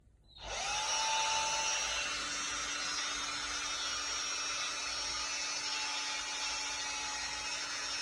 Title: noisy drill, шумная дрель